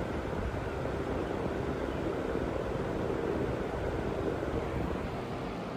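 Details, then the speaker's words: Household cooling fan with heavily dust-caked blades, running on high: a soft, weak whoosh as if barely turning, with slightly higher wattage. Dirty blades are slowing the fan. "sounds like it's barely running a little bit higher on the wattage there"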